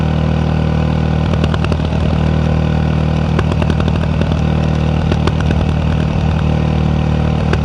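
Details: Yamaha WR 125X single-cylinder with an Arrow exhaust, idling with irregular sharp cracks and pops from the pipe; exhaust popping (misfires), cause not confirmed.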